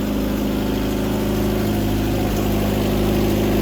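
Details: First start after almost a year, on choke, with a bad Rochester carburetor: slightly lumpy, uneven idle with a puffing tick about four per second; exhaust leak plus poorly metering carb.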